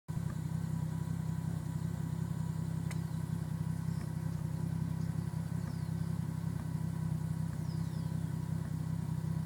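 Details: 1990 Supra 7M-GTE: deep lumpy idle with a recurring stumble about three a second. Idle misfire, most apparent with the key out while the turbo timer counts down.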